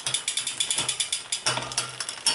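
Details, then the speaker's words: Shimano 105 R7100 12-speed rear derailleur: fast, bright ticking with the chain skipping slightly on the cassette after the barrel adjuster is wound out anticlockwise, giving incorrect cable tension. Turning it back quietens it. "it's not correct. You see the chain skipping slightly because I've wound that barrel adjuster."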